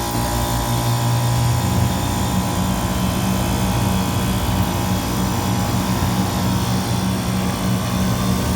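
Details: Walk-in freezer refrigeration rack just restarted after the compressor was steaming; condenser is wet and head pressure dropping, with condenser fans on fan cycle controls. Steady, even low hum with constant pitch and fan whir, no knocks; running normally.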